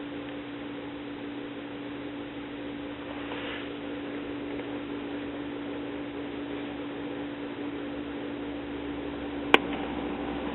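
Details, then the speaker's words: 1950s PAL one-tube record player with 3-volt crystal cartridge, first power-up smoke test after modification, volume turned down: a faint, steady low hum from the speaker under the hiss. It subsides toward the bass position; a bypass is needed. "Well, I hear hum from the speaker. That's not good."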